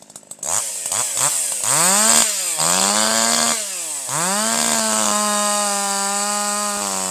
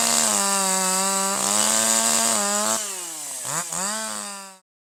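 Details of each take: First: Older piston-ported chainsaw with the H screw turned down a quarter turn to 1.25: revs cleanly to a higher, steady scream with quick throttle pickup and no bogging, slight four-stroking out of the cut; high-speed mixture correctly tuned. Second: Older piston-ported chainsaw, no load at full throttle out of the cut: high scream that warbles and sags unevenly, four-stroking because the high-speed (H screw) mixture is over-rich and the charge fails to ignite.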